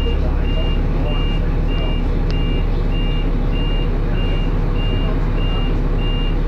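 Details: First Manchester Dennis Arrow bus R443ULE, with a slipping ZF gearbox: steady high dashboard alarm beep about twice a second over a loud diesel idle; the bus possibly overheated, as the driver called the depot mentioning temperature.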